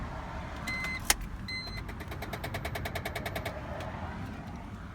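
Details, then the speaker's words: 2008 BMW X3 E83 at 103,000 miles, after key removed: rapid light clicks about ten a second under the car, with 4x4, SRS and brake lights intermittently on; transfer case actuator motor with stripped plastic gear. "and then after that it started making the clicking noise which I'll show in just a second"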